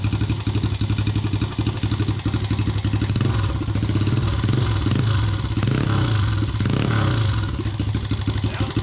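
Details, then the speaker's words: Chinese no-name pit bike with swapped 125cc engine, after rebuild with new cylinder and piston to cure heavy smoking: crisp, rapid single-cylinder beat rising smoothly when revved, no rattle; running better than ever. "This is the best this dirt bike has been running probably since it was brand new back in like, I don't fucking know, like 2000 or some shit like that."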